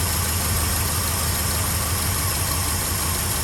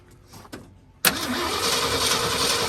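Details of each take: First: 1967 Ford F-350 Custom that sat about 10 years, running on its old uncleaned ignition points: steady, even idle with a low rumbling beat held constant; normal idle. Carburetor accelerator pump diaphragm leaking badly. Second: 1967 Ford F350 sat about 10–17 years, first start attempt with a little gas poured in: starter spins the engine at an even crank with no firing at all; no-start, no spark, plugs and ignition points to be checked next.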